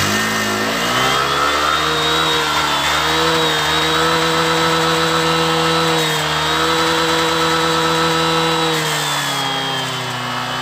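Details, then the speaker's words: Honda Vario 125 LED scooter that sometimes dies while riding, revved: buzzy single-cylinder that sags and wavers as if about to die; suspected loose wiring or sockets, side-stand switch, or ignition wiring. "Coba digas ya coba ya. Kayak berbet mau mati ini loh pokoknya."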